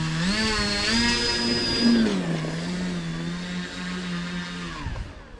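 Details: FMS 1300mm Carbon Cub RC plane, 850KV motor, 40A ESC, 3S battery, on the ground during setup: smooth even electric whine stepping up in pitch, holding, then spinning down cleanly; normal motor run.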